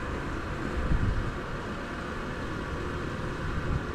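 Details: Well pump after cleaning the filter and throttling the outlet to stop air draw: steady, even low rumble with no slurping, gurgling or surging; running normally at about 7 flow.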